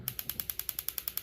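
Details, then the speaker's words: Heat Hog 18,000 BTU propane heater with a good battery in the electronic ignition; crisp, evenly spaced ticks at about ten per second (slow ticking would mean a low battery); normal igniter clicking. "You hear how it's tick tick tick tick tick really fast. That's what you want."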